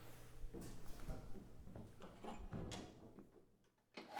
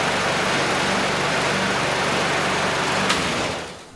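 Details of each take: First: Curbside Craftsman mower 917.376655, Briggs Quantum 122T02 engine, no choke, primed by squirt bottle. A few pulls and clatters, then it catches, swells about three seconds and fades out. Dies from fuel starvation. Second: Curbside Craftsman mower 917.376655, Briggs Quantum 122T02 engine, after lowering the lift so fuel reaches the carb. Steady, even buzz holding one speed with no misses or surging, then winding down. Runs normally.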